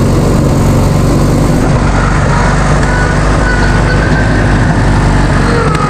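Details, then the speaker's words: Vintage Hydra-Mac mini skid steer, after cleaning the ignition points: small engine runs steady but fast and high-pitched, never settling; throttle sticking; idle too high, needs fixing. "Cleaned up the points on this thing and it pretty much fired right up. Stayed running. It was idling real high. I got to fix that"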